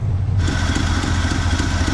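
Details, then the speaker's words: 1974 Chevrolet C10 small block, off the road over 10 years, at a high idle: an uneven, lumpy, stumbling exhaust beat; running very rich on the carburetor tune, with no throttle response and a possibly missing accelerator pump. "She's running richer than Queen Elizabeth right now with my carburetor tune."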